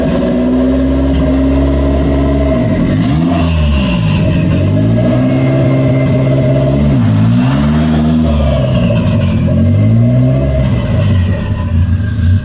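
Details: Engine started after tensioning the throttle cable, revved with several clean smooth blips that settle back without stumbling; healthy throttle response during work on a suspected vacuum leak or idle issue.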